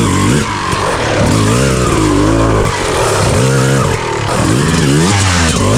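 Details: Rebuilt 2000 Honda CR250R two-stroke with a full FMF exhaust, running after being kick-started: crisp, clean ring, revving up and down freely with no misfire or bogging. Healthy engine, normal running.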